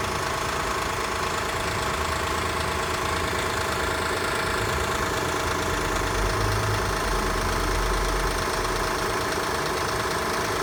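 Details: Engine started after being parked overnight in cold weather: a fast, light knock, roughly two per second, over a steady idle; the noise goes away once the engine warms up; engine knocking on cold start.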